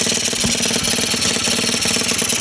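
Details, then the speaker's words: Scooter freshly fitted with 50cc to 70cc big bore kit, first start-up cold around 40 degrees ambient; rapid even buzzing idle, steady fast beat, no knocks or rattles, sounds healthy. "but he runs and starts and stops off it sounds pretty mean"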